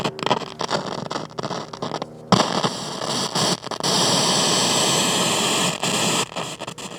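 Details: 1969 Concord F400 portable cassette tape recorder during repair, belt replaced, play at full volume: loud steady static-like hiss swelling with level; suspected noisy germanium transistor, unconfirmed.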